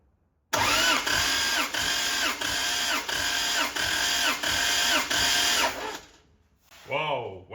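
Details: 1.5JZ-powered Corolla drift car, compression test during cranking with spark plug out: even starter cranking about ninety beats a minute with a steady pulse per stroke; this cylinder reads about 200, normal; cylinder 2 low at 150 with a suspected broken ringland.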